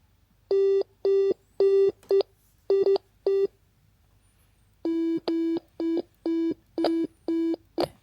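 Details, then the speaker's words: DIY ESP32 Stylophone-style synthesizer with I2S DAC output: buzzy sine-wave notes near 370 Hz each end in a sharp click when the key is released, because the generated sine wave is cut off abruptly; fix still to come. "If you listen carefully, you can hear the clicking sound at the end when I release the key. It happens because we generate a sine wave, and when we interrupt it, there is a click."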